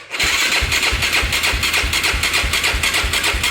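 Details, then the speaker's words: Yamaha YFZ450 ATV that shut off while riding; spark confirmed at coil, battery weak: steady starter cranking about three turns a second with no firing, turns over but never catches; cranking, no start, cause unconfirmed. "Sounds like it wants to start up. Let me give it some gas. This battery sounds like it's about to die."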